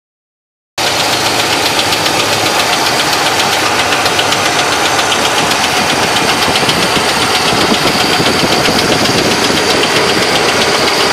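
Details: Loud engine knock in a 1970 Chevrolet Malibu with a 350 small-block V8 at idle: hard, steady knock about four times a second, like a screwdriver handle striking the engine, over bright clattery engine noise; cause unknown.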